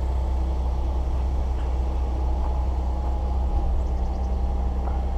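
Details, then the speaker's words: 2013 Ford 3.5L EcoBoost at 96,000 km, just after a spark plug change, idling with a deep lumpy rumble, almost backfiring: normal very rich running after cold start before the fuel trims lean out. "it's really super rich when they first start to it you can actually hear it like backfiring almost buh-buh-buh-buh now it's starting to lean out the fuel settings the trims and stuff"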